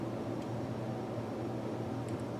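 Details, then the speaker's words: Amplifier hum from the squawk-and-talk speech board of an early-1980s Bally Midway Embryon pinball machine, stored over 30 years; turning the knob raises a low steady hum, showing the amplifier works; replacing the capacitors should remove or reduce the hum. "we can tell that the amplifier portion is good because when I turn the knob you can hear that home that hum should go away when I replace these capacitors maybe or at least it should minimize it"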